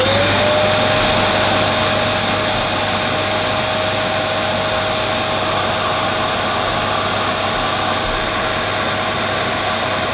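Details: Used Dyson DC11 canister vacuum running; steady even motor roar with a constant mid-pitched whine, no surging or rattle, motor healthy though the on/off control appears not to work.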